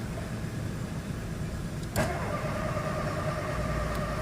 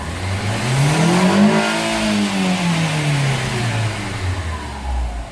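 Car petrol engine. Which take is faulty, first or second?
first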